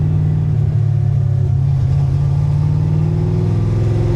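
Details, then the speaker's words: 1965 car with an Anderson N91 camshaft and a recurring misfire despite repeated fixes, heard while driving: deep, loaded V8 rumble with an uneven, stumbling beat of a cylinder dropping out. Owner suspects a leaking cylinder or a valve guide leaking oil. "I can hear a misfire already I hear a cylinder that's"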